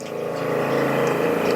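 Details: GX20 dry treating system with rinse/prime kit, product tank turned off to drain the lines: steady pump whir with a fast, uneven pulsing flutter as the pumps suck air.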